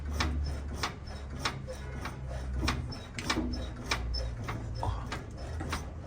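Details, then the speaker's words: Old Chevrolet classic with the rear suspension mounted inside the chassis, body rocked by hand: dull irregular tapping clunks, one or two a second, from the driver-side rear rather than rubbing; a rear suspension knock, cause suspected, possibly the shock absorber. "Tolga sürtme gibi değil de tak tak vuruyormuş gibi bir ses var şu an burada"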